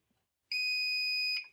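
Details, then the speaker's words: Buzzer function of a cheap multi-function DC power supply kit used as a rudimentary ESR tester: one clear, full-strength high-pitched buzz under a second, meaning a good capacitor; muffled or quiet would mean marginal to bad. "that's a good capacitor. If it sounds a little muffled or quiet, that's a marginal to bad capacitor."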